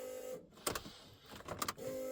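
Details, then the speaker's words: Barnfind Ford AU Falcon drift car, key on before first start: steady faint electric hum broken by a couple of clicks as the fuel pump primes; tank had been run with virtually no fuel, E85. "Actually, we'll prime it a couple"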